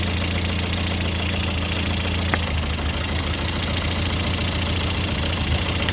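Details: Lada Kalina 8-valve engine (11183) at steady idle, low hum with a loose, irregular knocking about three or four taps a second; owner asks what is knocking, source not pinned down.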